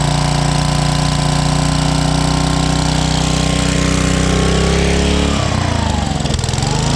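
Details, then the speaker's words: 1995 Briggs & Stratton Gen Power 8 hp generator, long stored, just started after carburetor cleaning: loud steady drone, then revs sag and hunt up and down near the end, surging because the freshly cleaned carburetor was bone dry. "it started surging because we just cleaned the carburetor so it was Plumb"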